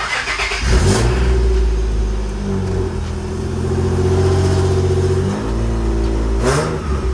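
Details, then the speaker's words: Nissan 350Z V6, revving after loose header flange bolts were refitted with a smaller bolt: a raspy, puffing edge that sharpens with revs, only slightly better. Exhaust leak felt at the header flange; the gasket is suspected to be shot. "still sounds like but I think it's a little better yeah it's pretty bad it's leaking I can feel it once I put my hand around the flange you can feel the air"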